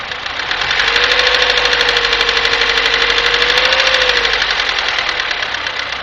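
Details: Daewoo Nexia 1997, G15MF engine, running: fast, fairly even ticking knock about three per second over a hissy engine; engine knock, cause unclear.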